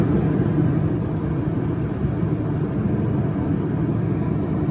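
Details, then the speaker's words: 2006 Chevy Equinox driven at a little above 50 mph after terminal work, no warning lights: low, steady road rumble with no shudder, thumping or pulsing; rides smoothly, brakes smooth, gets up to speed quickly; normal highway driving. "Riding really good. We hit the brakes, nice and smooth. It gets up to speed pretty quick."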